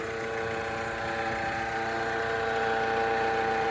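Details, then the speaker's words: Suzuki S-Cross bought at BCA auction, running at steady idle with a constant mid-pitched whine over the engine; suspected alternator bearing noise, to be checked by removing the inner wheel arch liner and running the engine without the belt. "Not a nice noise. Oh dear, what have we bought? So time to look at the Suzuki and find out what's going on. We think it's the alternator."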